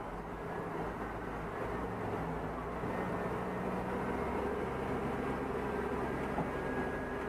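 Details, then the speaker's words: 2004 Chevy Tahoe with a P0300 random misfire code, after replacing the spark plugs: a steady, even drone during a brake torque test in drive, with no stumbles. Healthy engine under load, no misfire. "no misfire. No misfires. Oh yeah. So it was a spark plugs."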